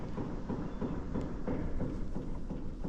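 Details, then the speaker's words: 2024 Chevrolet High Country Duramax: dull low thuds about three times a second as the wheel is worked, a clunking with a lot of play from a steering gearbox that was likely hit hard. Owner suspects it jumped a gear internally; the rest of the front end is tight. "But as you can hear here too, it's got quite a bit of play in it, and the gearbox makes, I don't know if you can hear that like clunking noise."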